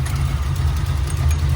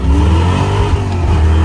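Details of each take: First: Fox Body V8 just reassembled and first started, timing set about 12–14 degrees, idle raised to let the cam lope: deep, lumpy, steady idle with no misses or rattles; normal idle (a loose fan then hit the shroud afterward). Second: Foxbody Mustang V8 pulling hard, then a sudden sharp crack near the shift and a rougher, weaker note after; blown head gasket after three hours of running, blamed on the clutch fan.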